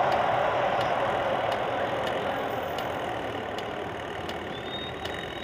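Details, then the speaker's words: Clothes dryer after its motor's rubber bushing was cleaned and refitted, running: steady, even motor whir with faint regular ticking and no grinding or squeal; previously noisy, capacitor may still be replaced. "Okay na wala ng ingay h na siya maingay maganda ng takbo ng motor kaso titingnan ko palitan ko ng capacitor Ang ganda tak nung ano motor walang kaingay-ingay"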